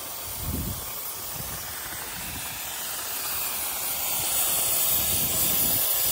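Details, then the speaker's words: Gen 3 turbo LS drag car overheated on a test drive: steady loud hiss building over several seconds as hot coolant (distilled water and Water Wetter) blows out as steam where the steam port hose off the heads detached. "oh the line came off yep the line came off oh all that's all over the place now cuz the cooling got too hot"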